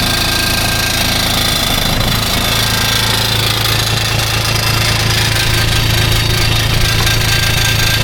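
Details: Kubota RTV-X900 with D722 three-cylinder diesel, high hours, after valve adjustment: steady, even diesel clatter at idle with a firm low hum and no extra knock; runs healthy.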